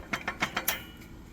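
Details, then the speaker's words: International 4700 truck (DT466E): quick metallic clacks, about seven per second, heard as a metal-on-metal noise while driving; parking brake band rattle from the bands around the drum behind the transmission, with wear on the plate. "llevo tiempo buscando un ruido que es metal con metal y deca que sera ese ruido"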